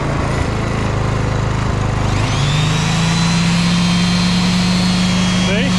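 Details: Petrol inverter generator after carburetor service, loaded with tools: steady drone lifts and settles into a firm, even hum as load comes on; normal running under load.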